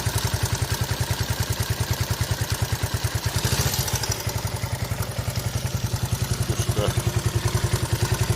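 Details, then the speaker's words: 41-year-old imported Honda XL125S single-cylinder running after the cam chain was sorted following complaints of cam chain noise; even, quick thump with a light normal whir and no top-end rattle or cam noise. "Right, let's see if it sounds better now. Let's it over. Yeah, no cam noise at all on it now."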